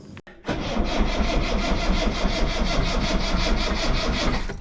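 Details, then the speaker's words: Rover P6 V8 on a jump pack after alternator swap, mechanical fuel pump: starter cranks at a steady chug of about three beats a second and never catches; mechanical pump slow to draw fuel through. "it's a mechanical fuel pump so it's going to take a minute to draw fuel through"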